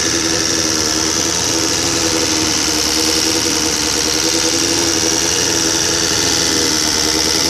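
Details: 1999 SRAD 750, freshly rebuilt with a high-compression 600 head and valves adjusted: a fast, even top-end ticking over a steady idle. Owner suspects the cam chain tensioner; not confirmed.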